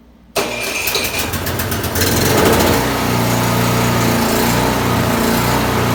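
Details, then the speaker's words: Craftsman snowblower fires up and settles into a rough clattering run with uneven bursts when the snow-throwing mechanism is engaged; bent impeller blade striking as it spins. "well that was a terrible noise"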